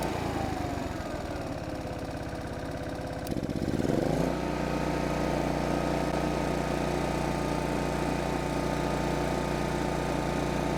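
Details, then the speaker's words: 1980s Kawasaki GA2300A 2300-watt generator, single-cylinder, after repair: it settles from a lower pitch into a steady, even beat with no misses or knocks. Normal running. "Look at that. That's awesome. The old girl runs."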